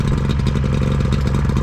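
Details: Two-stroke boat outboard idling on flush hose after corroded ring terminal repair and a hard start: steady even burble, no misses or stumbles; running smoothly and healthy.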